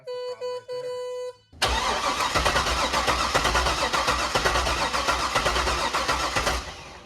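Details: Supercharged C5 Corvette Z06, revived after over three years in storage: warning chime, then steady cranking about four beats a second that never catches; cause unconfirmed, fuses being checked.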